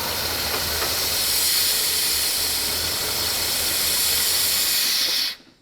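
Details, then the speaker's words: GMC 3500 long bed truck, sitting since 1995, just revived: a loud, steady hiss over a rough idle after the idle screw was turned up, until the engine dies. Vacuum leak hiss, with timing still being adjusted. "don't die where that hissing is loud yeah that's crazy that is loud loud"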